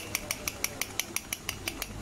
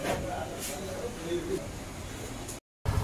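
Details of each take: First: Yamaha bike, clutch cover open: crisp metallic clicks about six a second as the loose clutch basket is rocked. Its damper rubbers are hardened and worn, causing a knocking at idle and chain noise under pull; fix is new basket rubbers. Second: Yamaha FZS V3 motorcycle after opening the engine and replacing worn clutch plates that caused noise and squealing under pull. Engine settles into a steady, even beat, no knock; clutch noises gone, running smooth.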